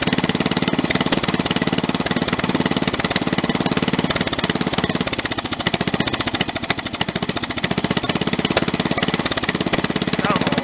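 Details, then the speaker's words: Snapper 30083 mower small single, first run after 20-25 years abandoned, junkyard flywheel fitted: fast running with harsh shaking rattling beat throughout; out-of-balance flywheel, likely from a synchro-balanced engine. "i got to put the other flywheel back on until that flywheel there is often a synchro balance engine and it that thing is vibrating extremely bad"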